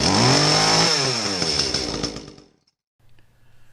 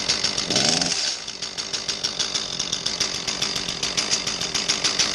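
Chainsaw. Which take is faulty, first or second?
second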